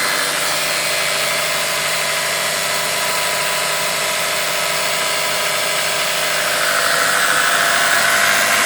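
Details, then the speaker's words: Toyota Camry Gracia 2.2 with 5S-FE engine at steady idle: fast, fairly even tapping about four per second over the engine. The shop calls it an engine knock; the owner is unsure whether it is the engine or the camshafts. "Двигатель 5 SFE Camry Gracia. Стук."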